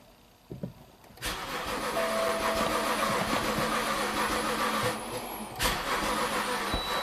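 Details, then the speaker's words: 2009 BMW 328i no-start after dealer valve cover gasket job; fuel pump and driver module already replaced, pump on direct power drawing 4.3 A: starter spins steadily about four turns a second with a short pause, never catches; crank, no start. "all right still crank no start and our fuel pump is definitely running at 4.3 amps"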